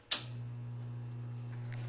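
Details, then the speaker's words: HVAC blower motor with one run-capacitor wire disconnected to simulate an open run capacitor: a click, then only a steady low electrical hum with no spin-up. The motor sits stalled but runs if spun by hand. "so it's just sitting there at home and you can spin it and it'll take off which is fairly characteristics of of capacitor problems"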